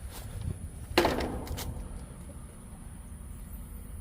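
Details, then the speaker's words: Central AC system with no cooling: one sharp clack as the outdoor contactor pulls in, then only quiet background with no compressor or fan hum; condenser not running, tech suspects failed capacitor, not confirmed. "Yeah, I hear that contact pulling in. Go run and get my drill. I do hear that contactctor pulled in."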